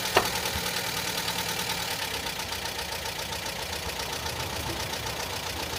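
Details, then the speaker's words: Talbot Express motorhome engine (described as a 1998, owner calls it an '89) at idle, hood open: an even idle with light steady clatter and fan hiss and no irregular knocks; an older engine running normally. "personally I think she's quite quiet for an old girl she's an 89 so yeah she isn't going to be running as quiet as all the the modern engines should we say but all in all I don't think she's particularly noisy"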